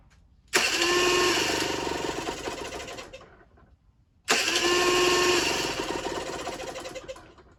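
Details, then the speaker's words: Generic Trigger SM 50cc two-stroke with a stiff temporary throttle cable: twice buzzes up on its own, hangs high, then slowly sags, even with the fuel-pump port blocked by a finger. Owner suspects an air leak, later found at the intake manifold; jets were also blocked. "I think she's got an air leak. Yeah, I think it's got an air leak somewhere."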